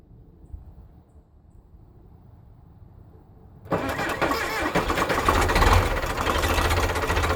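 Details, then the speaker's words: 1975 Case 680CK backhoe diesel, first start after long sitting, oil changed (water found), new charged batteries, glow plugs working: starter drags slowly for seconds before it catches. "oh it's turning over slow so I'll have to figure out what that is maybe the batteries I just put the batteries in they were brand new I charged them right up but it is definitely turning over slow laughs"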